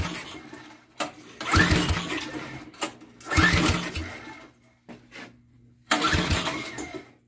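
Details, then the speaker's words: Small lawnmower engine on a go-kart, freshly fueled: catches on first pull, runs in strong bursts and restarts easily; good compression, healthy starting. "fucker's got some good compression to it it's got some good sucky sucky power"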